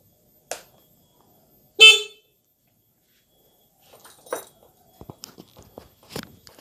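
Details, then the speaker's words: Older carbureted Honda Beat scooter with a non-working starter: two short, loud, sharp horn blasts with quiet gaps and light handling clicks. The horn is strong and works normally. "bel ini sangat keras sekali ya jadi apa namanya kencang sekali"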